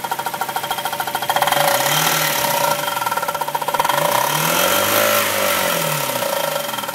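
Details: 1999 Kia Sephia petrol engine with a fast, rattly knock rising and falling with engine speed, starting after the same starter was removed and reinstalled; cause unknown.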